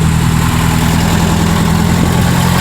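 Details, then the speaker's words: 1973 VW Thing air-cooled flat-four parked since the early 1980s, now running on gravity-fed fuel, started without priming: steady even low idle with no misses, stumbles or knocks, no smoke; healthy first run. "Good golly, Miss Molly, she's a running. Look at that. That is unbelievable. No smoke whatsoever."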